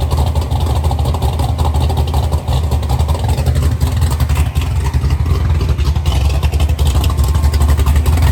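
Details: Chevy Nova V8 with rebuilt twin carburetors, heard from towards the back of the car; deep steady idle with firm low thump each beat, more compression than the assumed 10:1, no misses or knocks, smooth and even.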